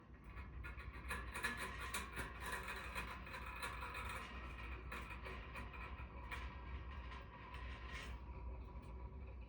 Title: Steam convector making noise.